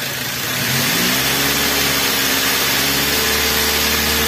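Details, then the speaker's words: 2010 Avanza/Xenia that misfires at 750–1000 rpm idle: revved up, it holds a clean, even high note with no stumble. Smooth at high revs; a compression leak such as valve sealing is suspected. "Kenapa RPM tingginya biasa ya biasa guys RPM tingginya biasa jadi karena ketika RPM tinggi valve itu akan lebih terpapar lebih cepat terbuka dan tertutup"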